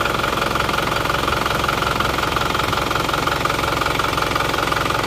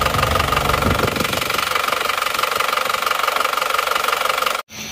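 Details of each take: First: Isuzu Panther pickup diesel after injection timing advanced slightly: steady, even, crisp clatter at idle, about three pulses a second, no misses; sounds harsher but stronger, exhaust now smoke-free; normal idle. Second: Isuzu Panther pickup diesel, cold engine smoking heavily (blow-by) and running harsh and uneven with a steady knock about three per second over the clatter; teardown found one seized piston and all other pistons, rings and possibly liners worn.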